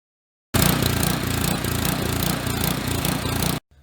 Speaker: winter is upon us and I've got a snow machine that won't idle correctly it's just surging Vavoom Vavoom and I can't get it to quit